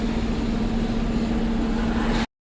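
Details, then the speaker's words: Dodge/Mercedes Sprinter diesel van climbing a slight incline at full throttle with very limited power: steady hiss and whistle over the spooling turbo and engine drone; boost leak from a detached intercooler hose, boost pressure abnormal. "The slightest incline, I'm like pedal to the metal right now. And this thing has very very limited power. I can hear the turbo spooling, but I can also hear that air leak."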